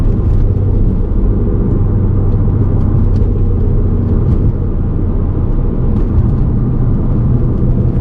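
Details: VW Golf MK5 R32 while driving: a deep, steady rumble heavy in the low end, no tick or squeal; a worn hub bearing growling as it rolls.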